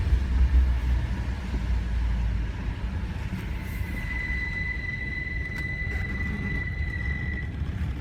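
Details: BMW E46 idling with a thin, steady high-pitched screech that starts after about 45 minutes of heavy traffic or long drives, fades briefly when revved, then returns when stationary; fan belt and idler pulley already replaced, compressor not on belt.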